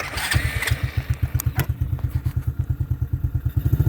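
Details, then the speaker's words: Taotao 125 Husky ATV (model 135D) small single-cylinder engine chugging unevenly, spitting and sputtering at low revs and trying to die when throttle is punched, as if choked; owner blames a dirty carburetor. "You can hear it spitting and sputtering. That is because that carburetor, once again."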